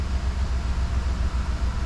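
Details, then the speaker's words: 2011 Chevy Tahoe V8 after repair of white exhaust smoke and misfire, exhaust still full of fuel; steady, even low idle with no misses or knocks, crank relearn still to be done. "It's running good. You can tell how much smoke was coming out of there."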